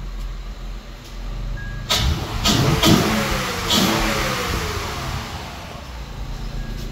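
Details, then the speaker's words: 2006 Acura TL engine revving after a stripped spark plug fix, with water pump, timing belt and tensioner already replaced: it blips up and settles cleanly, no ticking under throttle, revs smooth and healthy. "yeah there's no tick no nothing it revs really"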